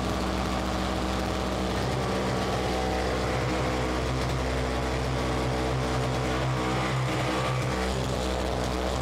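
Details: Simplicity 520 single-stage snowblower (5 hp, 20 in), first start on the electric starter after its repair, choke on: steady, even low drone with no surging or hunting, and the auger engaged; running smoothly and normally.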